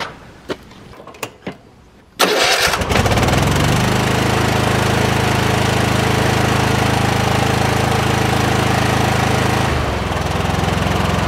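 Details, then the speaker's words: Kohler 7000 series 24 hp twin on mower: uneven lumpy running with occasional pop, firing on one cylinder; bogs in tall grass; mouse damage. "it's got a basically a dead cylinder it'll run on one cylinder"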